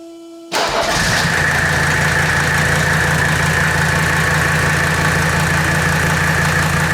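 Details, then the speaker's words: 1984 Mercedes W123 300D turbo diesel that had been sitting, on a battery of uncertain health: a brief crank, it catches at once and settles into a steady, even diesel clatter with no misses. Owner calls it the best-running old car he has had. "You guys have not heard this puppy run. This is probably the best running old car I've ever had."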